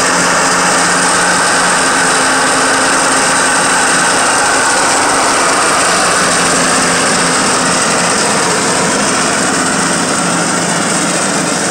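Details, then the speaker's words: Cub Cadet riding mower tractor, blades engaged at high revs: harsh metal-on-metal rattle and ringing under load from worn blade spindle bearings; deck also scalps grass, cutting low on one side. "cuando pongo las navajas a trabajar tiene un ruido metálico un ruido feo no un ruido fuerte como un metal con metal los baleros"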